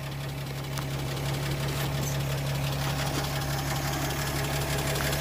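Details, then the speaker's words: 1937 Pontiac Silver Streak barn find, first run after ignition points were filed: engine idles with low, steady hum and even beat, no misses or knocks, oil pressure good; normal idle after points service. "sign up them points and she's purring like a Swiss"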